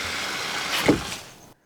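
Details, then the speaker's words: Water hammer demonstration with a faucet valve shut off on a pipe: rushing water hiss cut by a single hollow bang and a pressure spike. The fix shown is installing a water hammer arrestor. "You see that pressure spike? You hear that noise? That's not good."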